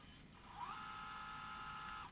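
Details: Sony EVS-1000E Hi8 video recorder (1989, Sony U-mechanism deck) under repair: about 1.5 s of steady mid-pitched motor hum in fast forward, no scraping or grinding; the tape transport spools quietly and evenly, normal fast forward.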